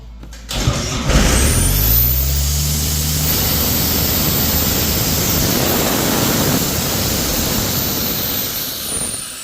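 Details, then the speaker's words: Ingersoll Rand P185 towable diesel air compressor after new starter, starter cable, eyelets and battery: starter turns briefly, engine catches within a second and runs evenly; normal clean start after repair. "Uh got the starter replaced, new starter cable, fixed all the eyelets up here, new battery, service the wheel bearings, the new grease buddies on there. So, I guess we'll start it up."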